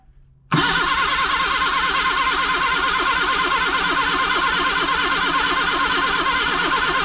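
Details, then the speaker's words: 1979 Datsun sitting for 30 years, cranked with gas sprayed in: starter spins the engine at an even rhythm with no firing or pickup, so it cranks but won't start; owner suspects the points or coil, and the battery cable overheated. "we're gonna go ahead and clean the points i was hoping she'd run without doing that so i don't know what's going on"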